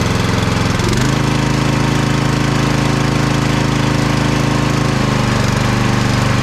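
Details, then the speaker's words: Vintage Simplicity Cavalier 3110 riding mower with 11–12 hp Briggs & Stratton single-cylinder, after throttle/choke cable adjustment: engine thumps along but the beat wavers and shifts pitch at low setting; it doesn't want to idle; rough idle. "so we'll fire it up and see what happens now I turned my jumper pack on it's still going doesn't really want to idle but"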